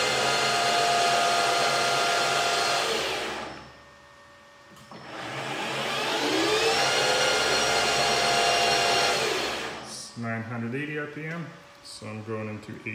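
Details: PM-1440GT lathe with a new Marathon E470 3 hp 230 V motor on a Hitachi WJ200-022SF VFD, replacing the cogging stock motor, in high gear H3: winds up to a smooth steady whine, no knocks or rubbing; normal motor run.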